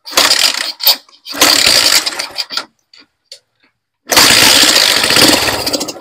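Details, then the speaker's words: Bajaj CT100 motorcycle, over 10 years old, stock, after converting to 4-pin battery-operated CDI: sharp, raspy, puffing crackle when revved because the exhaust pipe's bolt mounting is broken, changing its sound. "Tapos, ano na yung tambutso niya, sira na yung tornilyuan, kaya iba na yung ingay niya."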